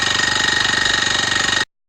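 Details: Honda tiller (kanriki) running again after a seizure, valve clearance reduced from 0.3 to 0.2 mm: fast even chatter with a hissy scraping on top, unchanged; owner suspects a stuck piston or piston rings; scraping noise, cause unknown.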